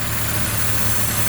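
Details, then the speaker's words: Cheap Bentley Continental GT idling lumpy, as if on half the cylinders: loud steady hiss over the rumble, a big vacuum leak from an unlocated spot; one bank suspected low on compression (burnt valves or skipped timing). "you can hear that there is quite a big vacuum leak coming from somewhere"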